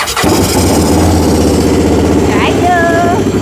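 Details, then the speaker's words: Fire-damaged CF Moto Z Force 800 cranking on the key with brake cleaner sprayed into the intake: a chugging crank briefly catches and runs rough, then falls back. Fuel issue suspected, possibly fuel lines connected backwards; not confirmed. "Okay, so we definitely got fuel issues."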